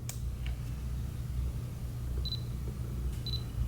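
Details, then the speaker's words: Canon K2 (3000V) 35mm film camera from 2003 with 28-80mm kit lens: a soft click then two short high beeps over near silence; lens focusing is almost inaudible, only the focus-confirmation beep is heard, flash popped up. "all you hear is the beep you don't hear the lens at all see the flash popped up then I mean it just barely does make any noise"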